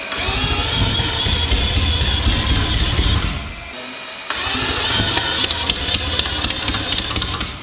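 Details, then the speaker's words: Billet four-rotor rotary on open headers after correcting ignition timing thought to have been 50–60 degrees off: loud, raspy running, fairly even with a short drop midway; firing far more consistent. "that seemed way more consistent. I'll try and give it a little."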